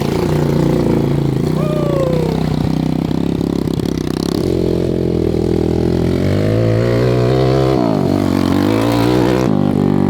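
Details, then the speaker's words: Homemade 190cc Zongshen five-speed shifter kart revving hard, with loose clunks in the driveline under heavy throttle and the chain going slack or coming off. Suspected causes: engine shifting, frame flex, worn live-axle keys, possibly worsened by bad gearing. "no we got some kind of clunk in our driveline and we really need to figure out because every time i really romp on it we get i get a lot of chunks"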